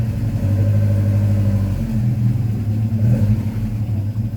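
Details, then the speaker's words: Vauxhall Firenza HPF with Lotus engine conversion, first drive, below normal temperature, just after adjusting distributor timing: deep uneven lumpy pulsing idle; owner suspects timing taken too far. Rough running, cause suspected, not confirmed. "I thought it was running a bit too rough and it sounds like I've uh taken it a little bit too far"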